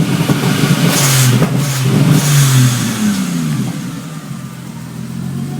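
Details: 1G-GTE engine with EMS 4424 Stinger ECU and 7M-GTE 440cc injectors, ran fine until rewiring for an LC-1 wideband controller; now hard to start, stumbling misfire and exhaust backfire when revving, worse when stabbing the throttle than easing it open.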